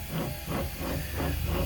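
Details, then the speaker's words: Removed rear differential assembly turned by hand: a gritty, rough grinding that swells and fades about twice a second, not rotating smoothly. Pinion issues are suspected, and a whole replacement differential assembly is coming. "I don't think it's supposed to sound like that."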